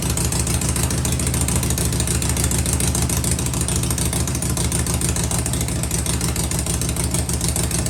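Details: Harley-Davidson Shovelhead V-twin running with pipes covered to hear the motor: deep, even loping exhaust beat held steady, very quiet with no ticking or rattling; runs clean, normal running.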